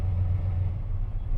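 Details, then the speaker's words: 2004 GMC Sierra 4.3 V6 with an occasional hard-start complaint and no check engine light. At idle the rumble drops and recovers, a repeated stumble and surge, traced to a faulty coolant temperature sensor giving a false cold reading to the PCM. "Whoop. The idle just stumbled. I don't know if you heard that."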